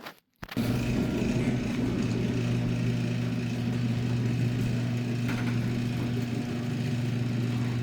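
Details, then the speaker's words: Garage door opener after greasing rollers with white lithium grease: smooth, even motor hum, steady low drone, no squeal or rattle; much quieter than before. "It's a whole lot quieter. I don't know if you guys noticed from the opening sequence of this video, but that's very, very quiet."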